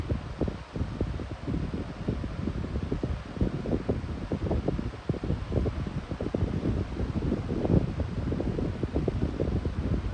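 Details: Lasko high-velocity fan running on low speed: a soft steady rush of air with a low rumble and no knocks or rattles. Normal running.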